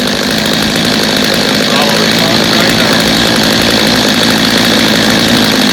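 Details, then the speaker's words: Stihl chainsaw reassembled after not starting or running, old carburetor and fuel line suspected, little adjustment needed: loud, steady two-stroke buzz with even, unbroken pitch, no stumbling or surging; normal running. "I think we got a good running saw there I think the owner will be happy with it I didn't even have to do much adjusting on it so that's a good thing"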